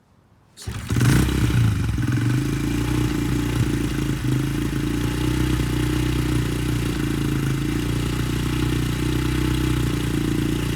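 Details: Honda CRF70F on a newly installed stock carburetor with a new fuel filter and air filter starts easily and settles into a steady, even single-cylinder beat with no misses while warming up before adjustment.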